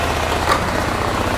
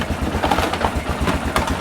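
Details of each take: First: 2001 Honda Rincon ATV, sat over two years, idling on choke while warming up just after carburetor reinstalled (carb clean/rebuild); quick, even single-cylinder putter with no misses, knocks or hunting, sounds really good; normal idle. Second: 2001 Honda Rincon ATV, sat over two years, cold and just taken off choke: lumpy uneven idle about three pulses a second that stumbles and surges; runs rough, choke put back on.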